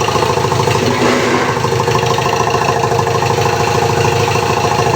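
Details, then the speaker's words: Ford Ranger after a crank-no-start repair, harness, injector and connection checks, ECU reprogramming and injector coding, run briefly without radiator after long storage: steady, even idle with a smooth, quick beat and no misses, knocks or surging. "Ayan mandar na rin umandar na umandar na itong si Ford train ng Tabok kalingga"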